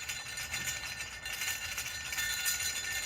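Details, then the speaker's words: Ducati 916 dry clutch removed from bike, demo of friction plate teeth in worn, grooved clutch basket; bright metallic jingling rattle, engine not running; plate tabs bouncing in worn basket slots cause Ducati dry clutch rattle; basket totally worn. "The teeth are in there bouncing back and forth as the bike goes boom, boom, boom, boom, boom, boom, boom, boom, boom. And that's what causes the Ducati dry clutch rattle."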